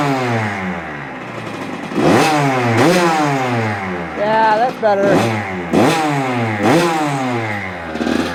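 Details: Kawasaki KX85 two-stroke after a crankshaft bottom-end rebuild and a richer jet change from 132 to 135. Crisp, clean throttle blips climb and fall back smoothly to a steady idle without bogging or stumbling, running well.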